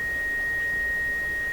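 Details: Seeburg SHFA1 stereo tube amplifier, first power-up with 6.3 V heaters applied, testing one channel: clean steady high pure test tone with no hum, crackle or wavering; channel passes signal properly.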